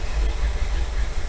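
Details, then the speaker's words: 1957 Chevy with a cam, revived after sitting for years, with 35 psi oil pressure at low rpm, low temperature and electric fans running: deep, lumpy, shaking idle under a steady hiss. The carburetor is out of adjustment and a vacuum gauge is needed to set it. "I mean, obviously the engine's shaking because of the carb,"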